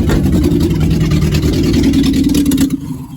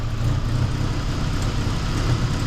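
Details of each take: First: Geo Tracker being revived after a restart with borrowed injector parts, run without the exhaust fitted and the timing not yet set: loud, raw open-pipe barking with an uneven beat, then it dies away. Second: Geo Tracker with reinstalled engine, first start after revival, timing about 8° BTDC at idle: steady, even low idle rumble with no misses, knocks or ticks; engine sounds healthy and settled.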